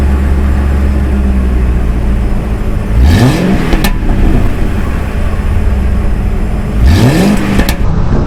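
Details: 2006 Mercury Grand Marquis V8, first startup after swapping single factory exhaust for OEM dual exhaust with rear catalytic converters deleted: deep steady idle, two clean smooth revs, no rasp or rattle; healthy exhaust note.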